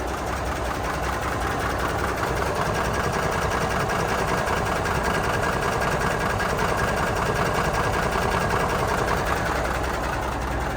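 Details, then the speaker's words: 1985 Freightliner cabover diesel idling after overheating on a loaded hill climb, losing about two gallons of coolant an hour: loud idle with fast uneven clatter, more than before, plus new blow-by; owner unsure if air compressor noise; diesel idle clatter. "at's been different is the truck almost it sounds a little more clattery than it ever did before I don't know if you can pick it up here it's not real bad like not like an engine knock or anything"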